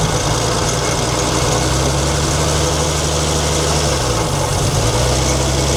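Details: 1942 Chevrolet Blitz CMP 4WD truck, 216 petrol straight-six: steady idle with dry gritty whirr over engine note; owner points out water pump noise, engine later boils, pump seemingly not pumping.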